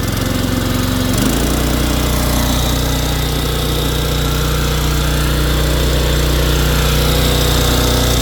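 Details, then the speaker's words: Simoniz 3000 psi pressure washer with Kohler 6.5 hp horizontal-shaft engine, after carburetor cleaning for stale fuel from years in storage, bench test on choke: settles quickly into steady even run, no hunting or misfire; sounds good. "All right, so that sounds good."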